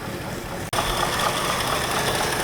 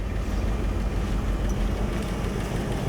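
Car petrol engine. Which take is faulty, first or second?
first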